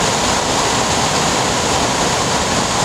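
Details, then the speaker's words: Bench test of a rebuilt mid-90s GM (Cadillac Deville/Eldorado) HVAC programmer's blower output on high. Loud, steady, violent air roar with no squeal, rattle or ticking; the blower motor works normally. "so we're gonna turn the fan on and you're gonna watch the blower motor spin now this is kind of violent and loud but as you can see it works it's a high"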